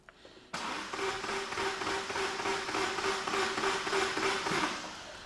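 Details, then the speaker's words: 2006 Opel Corsa 1.3 Z13DT diesel, crank no start: light, quick, oddly free cranking at about three beats a second lacking compression rhythm; camshaft, which drives the high-pressure pump, not turning while cranking. "so let me turn this engine over fear and just so you can hear because it doesn't sound right"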